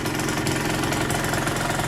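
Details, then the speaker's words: KSR Moto with AM6 50cc two-stroke after repair, started without choke: crisp, fast, even popping at idle that holds steady without hunting; it runs nicely with no leaks, and the oil dose looks right. "Chodzi fajnie wszędzie szczelnie dawka oleju największy widać właściwa"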